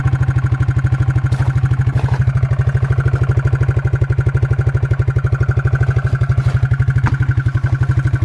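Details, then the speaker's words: Suzuki King Quad 300 at idle with a cheap homemade beer-can muffler fix, said to be quiet like factory. Steady single-cylinder thumps at about three pulses a second, deep and muffled with no rasp or leak. Normal exhaust. "it works really good and it's really quiet this thing is a joy to drive"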